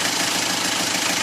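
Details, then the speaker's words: Isuzu Panther 2.3 diesel before tune-up adjustment: harsh, rapid metallic clatter pulsing about twenty times a second over a rough idle; diesel knock from maladjusted valves and injection pump. "Oke ini Panther 2,3 sebelum disetel ya suaranya"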